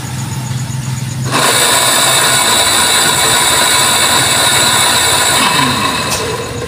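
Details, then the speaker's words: Water pump with separated impeller, tested before disassembly and bearing replacement; kicks on into a loud, harsh rushing roar with a rough rattly edge rather than a smooth hum, sounding different from normal, abnormal running noise. "So mandar siya. So iba yung tunog niya."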